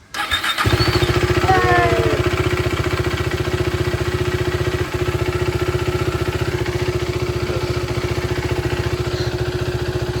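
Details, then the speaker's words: 2015 KTM RC390 BS3 during rebuild, started after oil change: fires at once on the starter, then settles into a quick, even single-cylinder idle with steady pulses and no missing; normal start and idle. "നോക്കുകയാണ്, oil മാറി start ചെയ്ത് നോക്കുകയാണ്. അതിന് സ്റ്റാർട്ടാവുന്ന പറഞ്ഞിട്ട് battery ഓണാണ്. എന്നാലും നോക്കാം."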